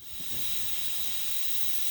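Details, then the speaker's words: Air compressor under pressure: steady high-pitched hiss of air escaping from a 1/4-inch universal quick-connect coupler, which is replaced to fix the compressor not holding air. "You can hear it hissing. It's coming out here. I can even feel the air."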